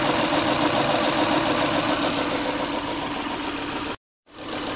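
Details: Volvo V70 XC that sat about a year, smoking, spark plug wires previously mixed up, coil wiring straightened; uneven stumbling beat a few times a second under the engine drone: steady misfire at idle, cause not yet found, compression test planned.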